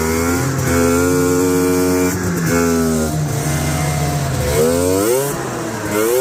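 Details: Yard-find Polaris Indy snowmobile, running hot: two-stroke buzz rising and falling with throttle through several revs, with odd extra noises; cause unknown.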